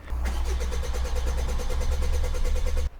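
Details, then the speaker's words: 1.5 BlueHDi 130hp DV5 diesel (Rifter/Berlingo platform) after fuel filter change: starter churns about eight beats a second then stops without firing; filter housing left without fuel, air in system, likely low fuel pressure fault code. "If you are going to ask why this guy did not work, we changed my diesel filter. When we changed the diesel filter, the tank with the diesel filter was left without fuel."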